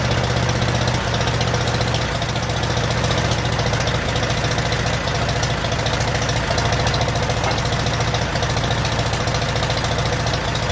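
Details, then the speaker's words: 1947 Farmall M tractor after rebuild, idling: low, loping beat with uneven dropouts and popping from the carburetor. It runs on only two cylinders with no power; the misfire was later traced to reversed plug wires. "I still can't seem to get it it's only running on my two cylinders that I cannot figure out there's also a lot of popping coming out of the carburetor"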